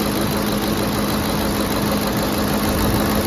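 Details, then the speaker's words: Ford F-150 5.4L Triton 3V V8 at first start after replacing the VCT/VVT solenoid: smooth idle with a faint, quick light valvetrain ticking, no leaks or vibrations; owner says they all tick, cause not pinned down. "so far so good this appear s pretty good aside from that ticking but they all do well every car"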